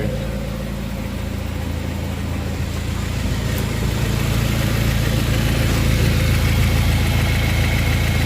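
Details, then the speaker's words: Honda Prelude SH jacked up, running in fourth gear: a steady low roar with a droning hum growing slightly as the wheel turns, from a screaming front wheel bearing; the ATTS unit also has a leak. "it's just wheel bearing a screaming right here"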